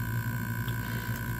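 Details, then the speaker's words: Seagate Barracuda 7200.10 750GB hard drive on USB-SATA adapter: steady low buzz with faint high tone as the spindle motor tries but fails to spin up; spindle rotates freely, fault in the motor itself. "that buzzing sound is actually the spindle motor trying to spin but it can't"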